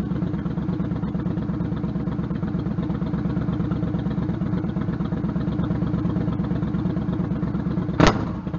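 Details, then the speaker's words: Stryker V-twin idling after new exhaust header gaskets fitted, following about 11,000 miles ridden with loose header bolts, leaking headers and popping: steady even idle, no ticking or puffing from the headers, engine seems a little quieter. Normal idle. "and three two one I think it sort of sounds a little different it even sounds like the engines a little bit quieter"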